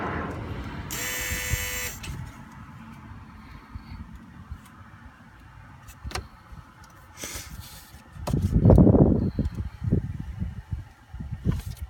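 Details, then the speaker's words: 2003 Volvo S60 2.5T AWD running: a harsh electric-sounding buzz for about a second then drops out; owner says the engine sounds like it is boiling and feels vibration but cannot locate it. Intermittent engine-bay buzzing, source not found. "It sounds like the engine is like just boiling. It's coming from right here. Or maybe right there. That sound. I can feel something vibrating, but I can't tell where it's coming from."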